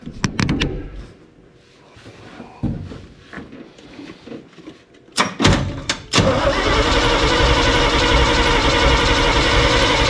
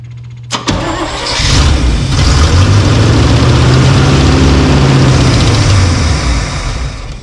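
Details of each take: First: Crusty old snow plow truck, fuel tank appears bone dry, unknown which tank is selected, cranked while checking for fuel in a test bottle: steady starter churn about four beats a second for six seconds, never catches; no fuel delivery. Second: Old snow plow truck 350 Chevy V8 after squirting fuel into carb: cranks briefly, catches, runs steady and even with deep smooth beat, no knocks, sounds pretty good; fuel delivery issue suspected plugged carb filter.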